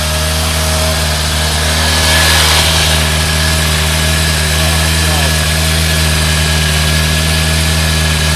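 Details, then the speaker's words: Thunderace motorcycle finally running after hours of work (carb cleaner sprayed): even idle, a slight swell in revs early, then a steady beat with no misfires; normal idle. "after the several hours of about i'm actually getting it going a bit sounds all right now"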